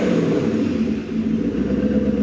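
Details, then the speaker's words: Maserati 3200 GT V8 biturbo at idle after a light throttle blip: the note dips and surges unevenly and the idle struggles to settle. Rough running; the owner suspects it is not firing on all eight cylinders. "chúng ta nghe thấy rằng sau Khi nhấn ga nhẹ nhất, xe không tải khó ổn định"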